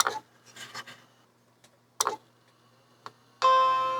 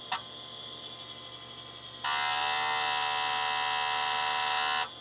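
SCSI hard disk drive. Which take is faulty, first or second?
second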